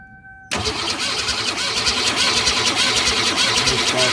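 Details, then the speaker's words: Ford Falcon, door tag says 1962, garage stored, compression confirmed: steady fast cranking about three turns a second with no firing; no spark at the plug test, new ignition coil suspected. "okay yeah stop no spark so maybe a new ignition coil is what it needs now"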